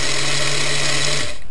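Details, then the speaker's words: Lima 0-6-0 model railway loco motor running before repair, with a loud, buzzy whir and steady low hum that winds down when power is cut. It runs rough and noisy, which is typical of Lima motors; the chassis was later found broken. "bit on the noisy side maybe if anything for it's a lemur unfortunately lemurs are known for being somewhat noisy I think that's why some people just don't like them"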